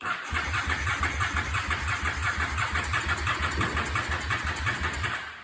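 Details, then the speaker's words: 2004 Honda Shadow VLX 650 cranking slowly and unevenly, about three turns a second, but never firing; owner suspects the battery is low and tries brake cleaner, later a charger. Stated cause is a bad starter solenoid. "I don't think the battery has enough juice. Just crank."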